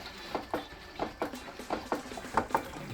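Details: Honda Hornet motorcycle front end making sharp dry clicks in close pairs, caused by worn steering stem (yoke) bearings, before bearing replacement.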